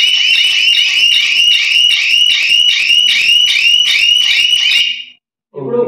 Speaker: Sound మరో వచ్చేస్తున్నది, ఎక్కువ తట్టుకోలేదు, మారిపోతుంది.